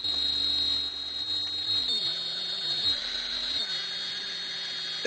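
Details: Bigger motor for an electric bike project driven by a PWM controller taken from a cordless drill: a steady high electronic whine over lower tones that climb as the motor speeds up; normal PWM motor whine, heatsink stays cool.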